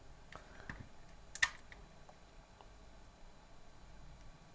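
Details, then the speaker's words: Opus BT-C3100 v2.2 charger, dead after a battery leaked electrolyte in the last slot, connected to its 12 V 3 A adapter (measured 12.3 V): faint irregular clicks as the adapter trips into short-circuit protection; charger input suspected shorted. "тому що при під'єднанні нашого блоку живлення я чую як ее починає трохи клацати блок живлення давайте ще раз так скоріш за все блок живлення уходить при цьому в захист тому що у нас десь тут КЗ"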